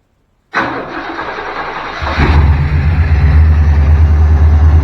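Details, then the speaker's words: Old throttle-body-injected Chevy with crank-no-start, after replacing faulty relay with a used spare: brief crank, catches at about two seconds, then settles into a steady, even idle with no misses. "I'll be darned if that thing didn't fire right up."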